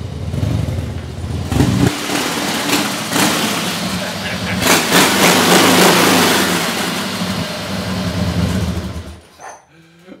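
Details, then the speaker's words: 2001 Harley-Davidson Fatboy Softail, carbureted air-cooled 88-inch V-twin, after full fuel system and carburetor rebuild, test ride: deep rumble revving up and settling, even firing, no misses or knocks; running healthy with decent power. "Holy cow, this was a bigger project than what I thought, but this is an awesome running machine."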